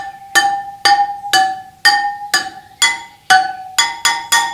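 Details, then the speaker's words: BMW GS/Adventure spoked motorcycle wheel, spokes tapped one by one: they ring clearly, but the last few ring noticeably higher pitched. That spoke is over-tensioned and needs adjusting. "Det är definitivt mycket högre stigning än ekrarna, som är närmare. Låt oss lyssna igen. Den där. Så den här ekern bär för mycket spänning."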